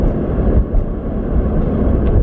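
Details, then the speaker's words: Nissan 350Z after rear wheel bearing replacement, interior at about 35–40 mph: steady low road rumble with no whine; previously a whine began around 40 mph and grew louder with speed, very loud on highway. "I don't hear it is usually around like 40 miles per hour that's when I start hearing and you start hearing this whining and it gets louder as you speed up I actually don't hear anything"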